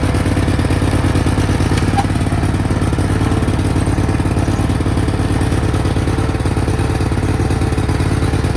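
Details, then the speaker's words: 1991 Cub Cadet 1861 tractor running rough with steady low chuffing about three beats a second and uneven, lumpy rhythm, smoking slightly (not oil); carburetor gummed up and way out of adjustment. "if you see the it's smoking a little bit that's not burning oil it's just the carburetor is way out of whack and all gummed up and stuff but we'll worry about that later down the road"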